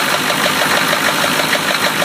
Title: 1993 Chevy rod knock pt. 2